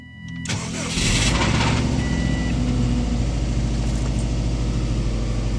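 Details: Subaru WRX: engine starts and settles to idle with a rough, uneven knocking rattle about three or four a second, from around the engine not the exhaust, also occurs at 3-4k rpm, power unaffected; engine knock, cause unknown.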